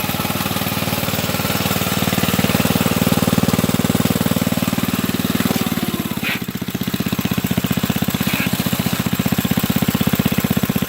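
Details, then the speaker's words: Go-kart small single-cylinder engine with new carburetor and starter, after fixing a wiring fault (coil wasn't the fault): steady popping beat, brief dip around six seconds then recovers; running good now. "the problem with the goal caught was the wiring was choose some through the wiring running good now"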